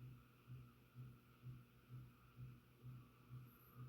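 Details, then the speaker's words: Ceiling fan in garage, in quiet room: low steady hum throbbing about twice a second, heard near the motor; owner also hears a rattle/buzz with no visible cause; motor hum, cause unconfirmed. "but like if you get close to the fan you hear the motor hum hum hum hum hum"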